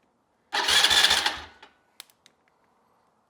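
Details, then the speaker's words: Neglected ATV that sat unused and won't crank; relay terminals jumped, starter cranks about a second, fast and even, then stops; starter good, relay/solenoid suspected bad and to be replaced. "our starter's good, but I'm thinking we have a bad relay here."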